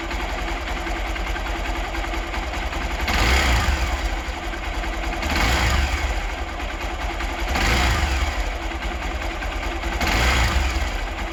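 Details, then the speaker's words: Hero Xpulse 200 single-cylinder engine after final valve clearance adjustment (intake 0.06 mm, exhaust 0.102 mm): steady idle with slow blips, ticking much quieter though not fully silent; normal valve train noise. "this is the sound of expose to hundreds engine after the final well clearance adjustment"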